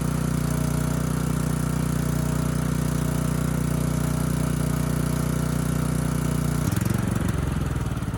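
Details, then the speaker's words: Ridgid 5700-watt generator with formerly seized Yamaha MZ300 single-cylinder engine, after repair and head service: even, steady beat at constant speed with no misses or knocks, then a smooth tone change; good power output and engine speed, runs healthy. "Power output's good. Engine speed is good. The engine sounds good."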